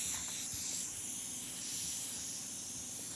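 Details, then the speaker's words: Campbell Hausfeld HL410100 air compressor after a valve plate reed repair, motor off: a steady high-pitched hiss of compressed air escaping around a fitting. The owner suspects a leak at a threaded fitting and plans to re-tape it. "all right this is where I think the air leak is coming from I swear it sounds like it's coming from"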